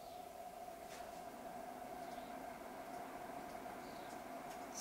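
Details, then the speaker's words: Titan 12V 140mm remote RV roof vent fan, remounted after a weird-noise fix, running at 40% speed: a quiet, steady whir with an even mid-pitched hum, normal low-speed operation. "so they seem to solve that problem with the weird noise that sounds really good"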